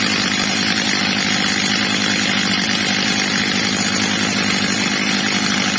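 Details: Old, well-worn Stihl MS230 chainsaw after replacement carburetor and clutch springs, carburetor screw leaned slightly, max revs set a bit under about 14,000 rpm: steady even high-pitched scream at full revs, no surging or stumbling; running right.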